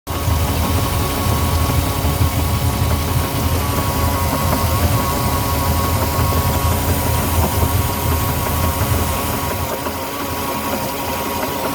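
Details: 2008 Moomba boat with an Indmar 5.7 V8 idling: a steady high whine near 1 kHz rides over the low rumble.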